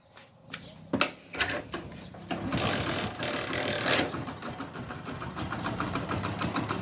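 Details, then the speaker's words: Hero Splendor after a full genuine timing chain kit replacement: starts and settles into an even, smooth idle; the earlier chain-like engine noise is gone, with some noise only from lower down. Normal idle. "तो यह देख लीजिए इसकी आवाज है भाई की इतनी स्मूथ आवाज ए रही है जैसे की बाइक स्टार्ट नहीं है"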